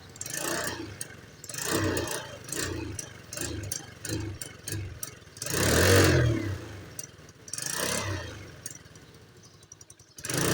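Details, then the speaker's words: Spark 110 X1 motorcycle that won't accelerate, through 3-4 shops unfixed: throttle blips rise in uneven, sluggish surges and fall back instead of climbing cleanly; mechanic suspects fuel not delivered fast enough, unconfirmed. "หากเราฟังจากเสียงเครื่องยนต์นะครับเพื่อนๆทุกท่านอ่าดูเหมือนว่ารถคันนี้จะมีอาการน้ำมันลงไม่ทันใช่ไหมครับ"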